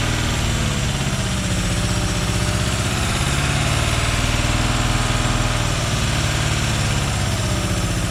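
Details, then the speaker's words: Chevy Vega wagon with a 350 V8 and 4-speed, year unknown, first start after about 15 years in a field, no belts: even low rumble at idle, no misses, ticks or knocks; sounds healthy. "anyway the uh vega ran actually not too bad surprising for saying for about 15 years or so"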